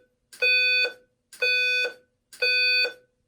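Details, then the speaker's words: Simplex 4010 panel with a 4003 attached, in walk test, device magnet-tested: three even, clean, loud half-second horn blasts at about one per second. The notification signal is normal. "Alrighty, so let's start down here, and we can hear how walk test goes on the 4010 with the 4003 hooked up."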